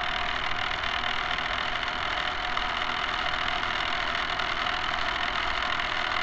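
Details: Camera barge test run: loud, steady rattling whir from small electric drive motors, excess noise from dog-bone motor-shaft couplers, to be replaced with flexible hose couplers.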